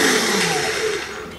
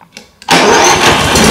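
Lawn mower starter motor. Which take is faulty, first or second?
first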